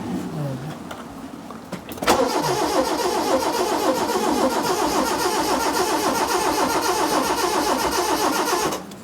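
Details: 2002 Proton Wira that sat 12 years, with about half a tank of old fuel and a red dash warning light. The starter churns steadily for about seven seconds but the engine never catches: it cranks without starting.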